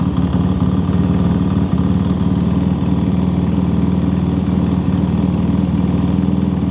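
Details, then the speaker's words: Honda C50 motorcycle fitted with a swapped-in Zongshen Z190 engine and original-style exhaust, started with a bit of choke. Steady, even single-cylinder idle with a deep, loud exhaust bark and no knocks or misses; it runs healthy but is loud. "All right. Well, it's not quiet at all. It's really not"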